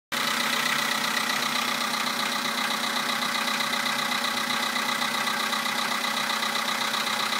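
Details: 2011 VW Polo sedan, 64,000 km, Liqui Moly Molygen 5W-40 at max level, 98 petrol, +2°C outside: fast, fairly even tapping knock on the cold-start idle, source unknown; new oil barely helped.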